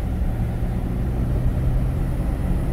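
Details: Chevrolet Silverado (2005 or 2006) on road test after replacing a seized front hub bearing that sounded like grinding brakes: even low road rumble, no grinding or speed-linked growl; normal wheel bearing.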